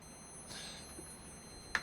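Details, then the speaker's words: Philips CM8833 Amiga CRT monitor, over 30 years old, at power-on: faint steady very high-pitched whine, no picture, no static on screen, no power light; flyback transformer failure. "Now hopefully you can hear that the monitor sort of powers on, but there's no image, no static charge on the screen, just this high pitched whine. There's also no power light. This usually points towards the horizontal section struggling to start."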